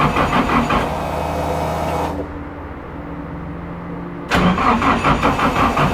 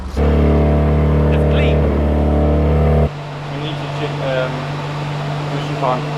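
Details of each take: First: Toyota AE86 drift car with rebuilt engine, new CP pistons and higher compression, cranking for oil pressure: two sluggish cranking bursts with a pause; slow cranking from small battery and thin power cables. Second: AE86 drift car rebuilt with new CP pistons and higher compression, first heat cycle to bed in rings: steady even engine note, no knocks, no smoke; a noisy lifter at start settled once oil pressure came up.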